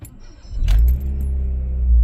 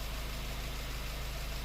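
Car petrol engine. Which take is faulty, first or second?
second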